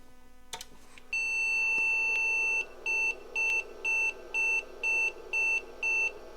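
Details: IBM PC/XT Model 5160 at power-on after swapping replacement 4164 RAM chips, one long beep about 1.5 s then short beeps about twice a second; memory bank 0 failure.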